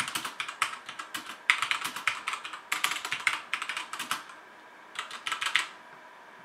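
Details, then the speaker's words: HyperX Alloy FPS Pro mechanical keyboard with Cherry MX Red switches, PBT plastic keycaps and aluminum top plate, typing test: quick bursts of crisp, even clacks, no scratch or rattle on any key; normal healthy typing sound. "so here's this typing test of how this sounds this sounds pretty good this is cherry mx red switches with pbd plastic keycaps and an aluminum top plate so it's how this keyboard sounds"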